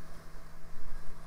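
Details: 2000s Micron desktop PC hard drive running: a steady low hum holds evenly under light hiss, with no ticking or scraping. The drive is spinning normally and sounds healthy.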